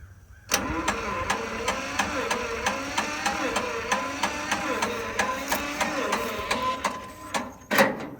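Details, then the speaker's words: John Deere Model 50 tractor, roughly 1955-56, sat about 15 years, sprayed with oil, choked; slow even cranking about two beats a second, won't fire; owner hears compression leaking, wonders if compression releases are open, suspects flooding. "hearing it leaking compression somewhere, though, it sounds like. I wonder if it's got compressor releases open on the bottom."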